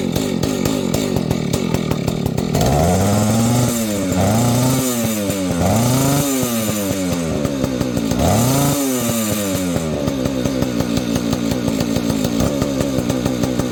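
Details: Vintage Husqvarna 285 chainsaw being rebuilt with replacement cases and cylinder: fires readily, blips through several quick rev rises and settles back to a clean, steady idle. Owner says it later stalls after idling, suspects ignition.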